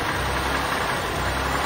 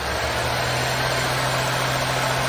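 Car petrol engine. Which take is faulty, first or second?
first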